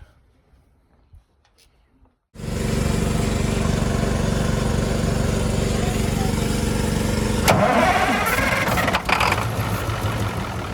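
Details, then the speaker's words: Allis-Chalmers 440 tractor diesel after repair work for a loping issue: catches at once and settles into a firm, steady beat about four per second; starts differently and idles good, normal start. "It It [clears throat] sure started up differently. Start it up real good. And also, like I said, it idles good."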